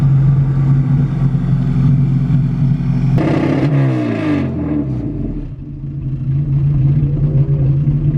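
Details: Car with a newly fitted distributor, running on fresh E85. A steady drone breaks up and drops away briefly under throttle before recovering as it cuts out; a dirty fuel filter or fuel system is suspected, cause unconfirmed.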